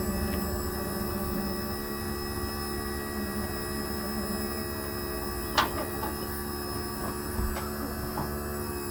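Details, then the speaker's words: 2004 Country Coach HWH slide opening after lubricating bearings and Scotchgard: steady, even motor hum with a couple of light clicks, travels smoothly without grinding or binding; nice and smooth. "oh nice and smooth like it like it"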